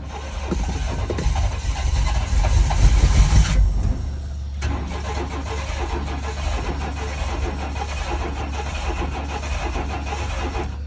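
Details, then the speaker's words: 1995 GMC/Chevy S10 Blazer/Sonoma V6 Vortec, after turning the distributor: cranks, catches and runs fairly evenly; ignition timing close enough to fire, still to be dialed in after fuel pump install. Normal start and run. "either way y'all there we go we know we got the timing pretty pretty close enough for it to turn over and fire"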